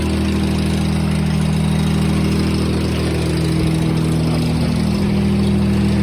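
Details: John Deere 455 tractor with a 3-cylinder Yanmar diesel, started after a brief glow-plug wait: an even, steady clatter at a settled idle with no misses or knocks, running smooth and healthy.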